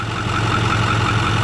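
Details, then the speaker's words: 6.4 Powerstroke diesel at steady idle, oil filler cap removed, then cap test with the cap bouncing slightly: open filler hiss and regular puffing pulse about five per second, some crankcase blow-by; normal versus concerning blow-by is the question. "a lot of these trucks have some blow by but some is normal some is fine you won't have any issues but you got to just learn you got to know how to relate it to an actual concern"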